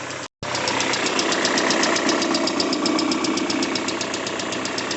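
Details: Peugeot 406 Coupe engine at idle, knock that appeared after timing belt replacement: light, sharp ticking about four per second. Confirmed as hydraulic lifters.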